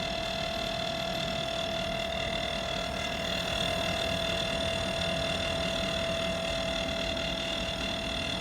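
A steady mid-pitched whine with a thin high ringing sits over a soft hum and never changes; the outdoor unit has an abnormal tonal noise.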